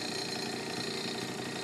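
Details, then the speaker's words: Honda Urban Express NU50 scooter after the exhaust-to-cylinder connection was tightened, now much quieter: steady, even two-stroke buzz with no misses, surging or exhaust-leak rasp. Normal idle. "I tightened up the exhaust connection to the rear to the cylinder so it's a lot quieter than a lot it was it rides runs and rides great"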